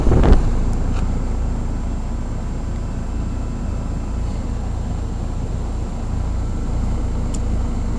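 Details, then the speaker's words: 1988 Heil heat pump at a commercial property, frozen solid in ice with no defrost cycle, faulty defrost control board believed: steady low droning rumble with faint tones; possibly the compressor kicking in, cause unconfirmed. "as you can see it's actually still running and just started making that noise this thing is frozen freaking solid"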